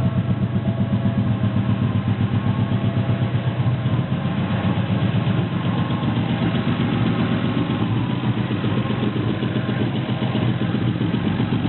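Idle beat stumbles irregularly at about four pulses a second instead of running smooth, with no knocking on top: a misfire at idle.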